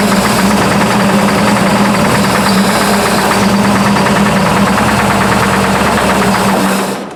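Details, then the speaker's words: Burnt Buick P12 with a newly developed engine knock, a sharp regular knock about three or four times a second over a loud, steady run; owner unsure whether lifter or rod knock, oil pressure 42 lbs. "well she's got a knock I don't know if that's lifter knock or if that's a a rod knock or anything but she does have a knock of some kind that just developed"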